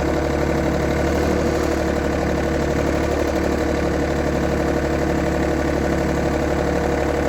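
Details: 1990s John Deere F1142 diesel mower, cold January, started via jumper wire, fuel shutoff solenoid not working: steady lumpy diesel clatter at idle, even three-cylinder beat with no misses or knocks. Runs fine on its own.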